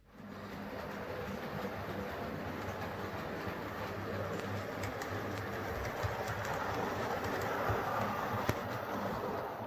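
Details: Hornby R316 LNER Class J83 0-6-0 tank engine model locomotive, made 1997/98: an even, quiet motor whirr with soft rail clicks and no squeal or grinding. Normal smooth running.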